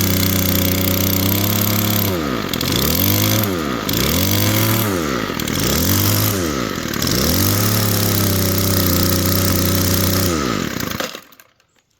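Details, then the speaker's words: Poulan Twist n Edge two-stroke trimmer after plastic-welding the throttle and lubing the cable: revs up and sags back four times, each drop lingering instead of snapping to idle; throttle cable sticking at its end, needs replacing. "ain't bad um so you just got to help it go back to idle yeah it needs a cable but we got it working"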